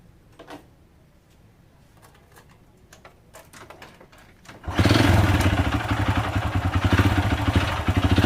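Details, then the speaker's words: Honda Supra Fit New motorcycle engine: quiet at first, then fires up with a harsh, uneven clatter over the idle, like stones rattling inside; engine removed for full teardown to find the damage. "Suaranya tuh kasar seperti ada batunya di dalam itu ya bro ya."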